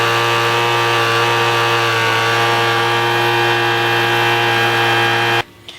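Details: $10 Craftsman two-stroke leaf blower after the low-speed mixture screw was opened about a quarter turn to cure stalling: a steady, even high-pitched drone holds constant speed for about five seconds, then the engine cuts off abruptly; normal running.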